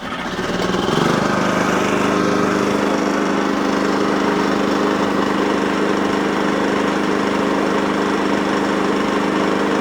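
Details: Wolf generator after an oil change, topped up with Moto Mix and fuel tap turned on: engine picks up and settles into a steady, even drone, the earlier hunting and surging now gone; running smoothly.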